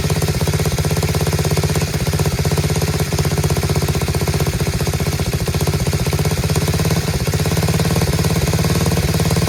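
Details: Chinese Tao Tao 125cc single-cylinder ATV quad with new carburetor, idle screw turned in half a turn: quick, even, quiet putter holding a steady idle on its own, no knocks or misses; normal idle.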